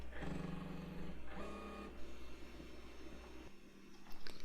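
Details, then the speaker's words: Tecmar Ditto Max Professional tape backup drive on an IBM PS/2 Model 30 286, running an appended backup; steady low whir with faint mechanical buzz settling quieter, normal. "Now it's quietening down some. Doesn't sound as much like it's going to explode."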